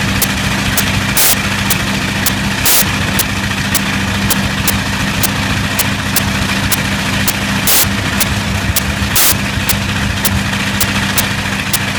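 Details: Bristol Hercules radial engine idling with sharp irregular pops and a hiccup in the rhythm every second or so; slight misfire.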